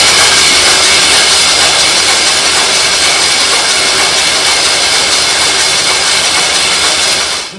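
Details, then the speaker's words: 1985 Chevy Camaro SBC 400 (406), unrun over 20 years, resealed with fresh oil, cranking without plugs: slow, even cranking about two beats a second, slowing once oil pressure rose to 50 psi; no misses or clatter. "You hear how it slowed down once the oil pressure kicked in? We had the oil pan off of it. We put fresh oil in it. So, but yeah, we're looking good now."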